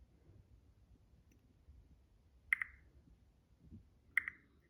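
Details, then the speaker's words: 2021-2026 Toyota Sienna power back door buzzer, removed and fed 12 V directly on its pins: two faint sharp pop-pop clicks in a quiet room; element works, just won't beep without the ECU's modulated signal. "But we can hear it making like a pop pop sound, so it's trying to do some noise, so that's good."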